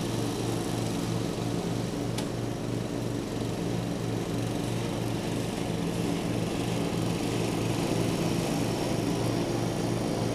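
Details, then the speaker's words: 1989 John Deere RX75 riding mower cutting tall grass: a steady single-cylinder drone holds its speed with no misses, surging or knocks. The deck may be cutting a little low and throws grass everywhere; it is running normally under load. "uh it might be cutting a little low it's really cutting a lot of grass here throwing it all over the place"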